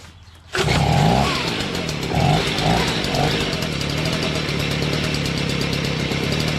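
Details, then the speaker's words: Stihl BG55 two-stroke leaf blower with a new carburetor. It runs at a steady high buzz with lazy surges and dips when the throttle moves. Owner says it doesn't quite bog, but throttle response is poor. "i know i should not touch what's good enough right but it kind of bog not bogs but the responsiveness isn't like is what i like"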